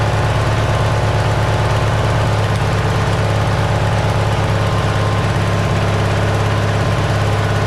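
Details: Simplicity tractor fitted with a cheap Chinese replacement carburetor: loud, steady, low drone with a quick even beat, the single-cylinder engine at a noticeably fast idle. The cause is suspected, not confirmed.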